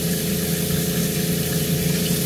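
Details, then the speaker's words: LPG Cointra CPA11 boiler and newly fitted stronger water pump on a 1980s 36 ft Springer narrowboat, first hot-water test: constant low pump drone with steady burner roar, no rattles or surging; normal pump and boiler operation. "i can hear the boilers just fired up let's give it a minute and that's already getting warm"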